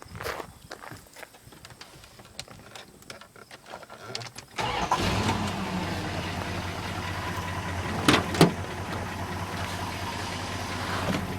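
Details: 1981 Chrysler Imperial Coupe with good compression: engine cranks, catches, then idles with a light ticking that keeps pace with engine speed, a noisy lifter.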